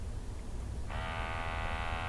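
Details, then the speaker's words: Multi-gas detector (MultiRAE) switched on before confined-space entry: low hum, then steady buzzing whine starts about a second in and holds even as the sample pump comes on during boot-up; pump running normally. "and the pump comes on as you can hear it gives you dates it's checking the sensor IDs it tells you last calibration dates"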